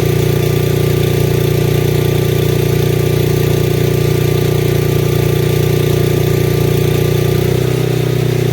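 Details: Lincoln Weldanpower AC/DC 225 welder, idle screws adjusted to cure occasional backfire when dropping to low idle: steady, even engine drone settling smoothly to a lower, slower idle near the end, no popping or backfire.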